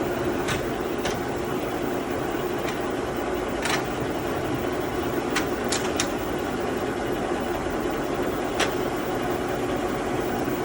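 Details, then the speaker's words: Cincinnati No.5 milling machine, Cat 40 spindle, set up on 440 volt: steady, even hum with mid-range whir and a few stray light ticks; runs smooth and quiet. "Runs really nice. As you can tell, it's pretty quiet."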